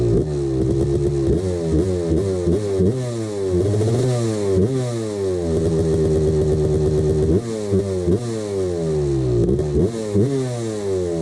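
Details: 1989 CR250 ringing two-stroke revving up and down with a hard metallic rattle under the exhaust note; piston slap from a worn piston the owner ignored.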